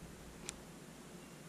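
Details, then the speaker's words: Czech PNV-57 night vision goggles powered by a 9 V battery, microphone close: faint sharp ticks about once a second over near silence, showing the power-supply transformer is working normally. "so I'm trying to just be quiet so you can hear the ticking that's a good indicator that at least the Transformers working"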